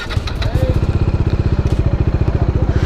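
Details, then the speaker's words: Bajaj Dominar 400 BS6 single-cylinder at idle after a service-centre repair of a sudden sound change on a Gujarat road trip; the sound is back to how it was before, an even, regular thump about ten beats a second, no tapping or rattle; normal idle. "जो आवाज़ है वो improve हो गई है भाई, पहले जैसी हो गई है जैसी पहले थी।"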